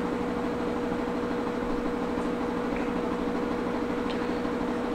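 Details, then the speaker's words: Whirlpool WTW5610XW3 top-load washer with a banging-noise complaint, on a diagnostic high-spin test cycle. Steady whirring with an even motor hum and no banging or imbalance; it works normally, and the technician suspects an overloaded or unbalanced load. "and in my opinion everything seems to be functioning as it should"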